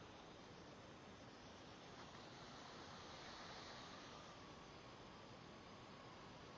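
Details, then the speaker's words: New 1/8 air micro die grinder after tightening the hose fitting; steady, even small hiss, air escaping along the hose line, much better than the bad leak before, cause not confirmed. "let me see just a small little hissing but I think oh I can live with it better than what it was before it was really bad"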